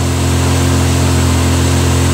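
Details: 1972 MG Midget first fire after total car and engine restoration, held around 2200–2300 rpm: steady even fast idle, smooth low drone, no ticks or knocks.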